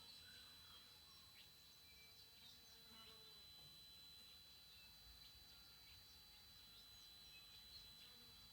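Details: TriStar TS-MPPT-60 solar charge controller: faint steady high-pitched whine with a light buzzing edge, often mornings and evenings and while switching between MPPT and Absorption stages; squealing, cause unknown.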